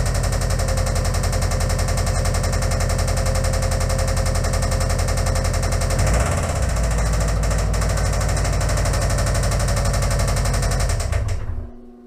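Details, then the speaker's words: Subaru WRX/Impreza engine run on booster cables, revved to about 3,000 rpm: loud, sharp snapping knocks about four per second before shutdown. This is a severe internal knock, and the owner fears further running will destroy the engine. "So yeah, as you could hear, that thing is snapping really fucking bad. Like, if I keep on running it, it's probably going to come apart, revving it up like that."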